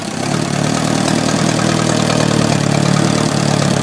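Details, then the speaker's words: 1972 Atomic 4 marine gasoline engine, ~1,000 hours: steady, even idle with low continuous rumble, no lower-end or bearing noise; valves working smoothly; normal idle. "You can hear by the engine exhaust that the valves are all working rather smooth. You can listen to the lower end of this engine."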